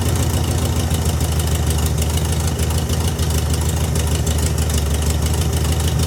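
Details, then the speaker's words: VW Beetle with new Pertronix distributor and coil, after quarter-turn carburetor adjustment: steady even low air-cooled rumble, regular firing, no misses; smooth idle, though backfires on revving, owner thinks slightly lean. "Sounding much better."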